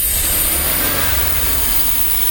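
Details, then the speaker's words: GMC Safari/Astro 4.3 V6 at 215,000 miles, after TBI rebuild with two new injectors and a rebuilt fuel pressure regulator: the engine climbs and holds revs cleanly with no popping or missing, which it did before; runs smooth. "holy crap that's really smooth okay that sounds good to me I'll have to test drive it to make sure but that sounds great it was kind of popping and missing before so now it is good"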